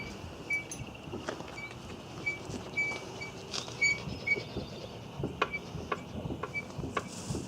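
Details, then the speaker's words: 2001 Volkswagen Jetta VR6, body pushed down by hand: light irregular tapping, clanging with some squeak from the right rear suspension; source unknown, rear shocks to be removed and examined. "what I want you to listen to, you hear that little tapping, clanging sound?"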